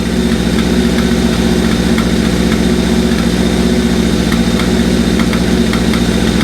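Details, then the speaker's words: Engine at idle after start-up, fueling when revved: a steady beat of about three to four a second with irregular sharp exhaust pops scattered through it; cause not pinned down. "it's fueling when you rev it oh no it's blue you probably just hear it popping"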